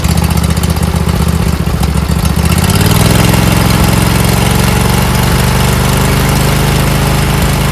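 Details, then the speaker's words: Briggs & Stratton V-twin mower engine after replacing four bent pushrods, head gaskets, cylinder head and carburetor, fuel pump, plus fixing a split fuel line and missing carburetor bowl screw: steady even low drone, smooth revving, no misses or knocks; running properly. "Heat up here. thing runs great. >> Man, oh man, what satisfaction."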